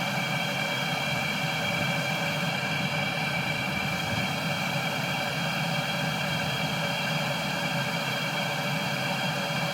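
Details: Cheap Chinese 12V diesel heater bought on eBay, run after air was coaxed out of the pump and fuel line: constant even whirr of fan and burner, steady faint whine, no sputtering; running normally.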